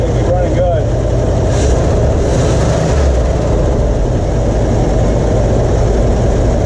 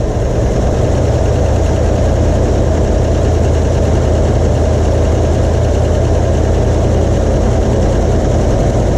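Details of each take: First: 1977 Ford F-250 4x4, 351 Cleveland V8, revived after sitting with gummed-up carburetor, fed from a temporary gas tank with old fuel; deep steady rumble at held throttle, no misses, some smoke expected; running properly. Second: 1977 Ford F-250, 351 Cleveland V8, revived after sitting: loud V8 runs rough with an uneven lumpy beat; old stale fuel still in the system suspected.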